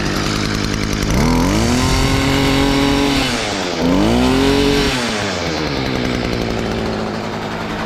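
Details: STIHL FS38 two-stroke line trimmer, first start after about two years with fresh fuel: revs up cleanly twice, holds, then drops back to a lower steady idle without stumbling; healthy running.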